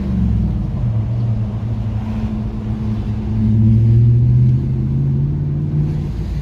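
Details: Nissan D22 Navara 4WD manual with VK45 V8, test drive through town traffic at about 40 km/h after repair of a misfire and stalling fault that appeared when warming up in town: deep, smooth rumble rising and easing with throttle, no stumbles or cutting out; normal running under load.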